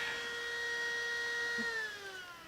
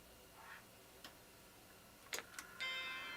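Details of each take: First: Macintosh II power supply, old Sony unit, first power-on during restoration: loud steady whine with a ringing overtone sliding down in pitch as it winds down; fan sounds harsh and noisy, though the supply kind of works. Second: Macintosh II logic board after trace repair, switched on at the power switch: a soft click, then a clear sustained chime. Normal startup chime; the board boots to a flashing question mark.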